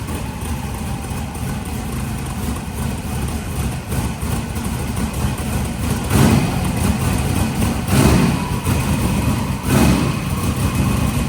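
Steady, deep idle with a few smooth blips of throttle that rise and settle cleanly, with no knocks or misses, so the engine sounds healthy.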